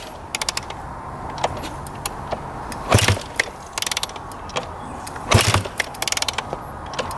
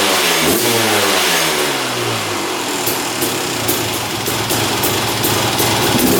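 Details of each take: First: 2001 Honda CR250 two-stroke dirt bike that had been sitting, kicked over a few times: ratcheting clicks and weak chuffs, but it won't fire. Old fuel looked heavily oil-mixed; stale fuel is suspected, not confirmed. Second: 2001 Honda CR250 two-stroke, after draining old fuel and refilling with fresh gas mixed 40:1. It revs up crisply and drops back cleanly with a steady ring-ding, running well.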